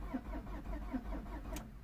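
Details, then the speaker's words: 2003 Peugeot 307 2.0 HDi diesel with its transponder lost during earlier work: the starter turns the engine at a steady chug of about five compressions a second, but it never fires because the immobilizer is blocking the start. "I don't know if you heard the cranking so he just cranks it doesn't start the reason is and the guy that brought me this knew about it because they lost to responder when they did this work"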